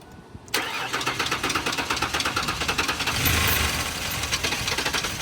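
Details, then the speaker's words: 1999 Ford Explorer on a jump start: quiet cranking, then it catches with ragged, uneven firing that never settles; engine won't keep running. "Sounds like it wants to start, but it won't continue to run."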